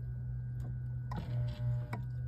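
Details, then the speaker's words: Whirlpool WRF993F refrigerator, fresh food not cold and beeping: steady hum with sharp ticks as the air damper behind the evaporator cover keeps cycling, caused by a bad thermistor, before the thermistor is disconnected. "can hear the damper what I'm gonna do I'm going to disconnect the thermistor"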